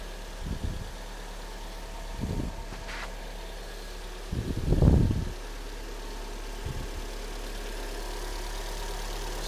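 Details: Kia Sportage 3, G4NA petrol engine, 147 mileage: first start after oil and antifreeze are vacuum-filled and the chain and hydraulic lifters fill with oil. Owner reported a cold knock, quiet when warm, and heavy oil use. Low, steady idle hum with no regular knocking, only brief handling bumps; normal idle.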